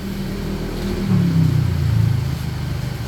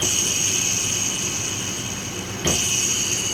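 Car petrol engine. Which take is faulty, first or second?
second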